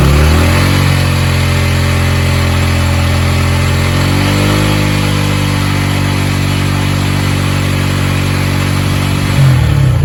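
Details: Yamaha YBR 125 single-cylinder started cold after a secondhand replacement part was fitted; crisp note rising and falling cleanly with the throttle, no misses, knocks or rattles; running healthy.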